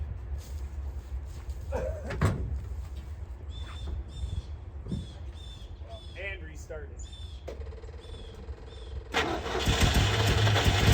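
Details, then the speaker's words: 1966 International Scout four-cylinder snowplow, sitting about three years: quiet outdoor sounds, then the engine catches abruptly and settles into a steady run; starts easily, normal start. "all right that's awesome I really expected it to start one thing these Internationals are is reliable"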